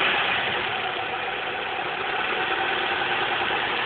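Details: 2004 Chevrolet Cavalier 2.2 Ecotec four-cylinder at idle: dry, uneven metallic rattle over the engine note, about three beats a second; suspected timing chain rattle, unconfirmed.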